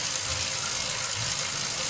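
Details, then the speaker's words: Bicycle chain, dry, stretched and worn, under pedaling load: steady dry hissing rasp on the verge of squealing, noisier in a cross-chained gear, sapping at least 5 watts. "Yeah, so this chain is at the borderline, just teetering at the edge of being audibly, clearly squealy."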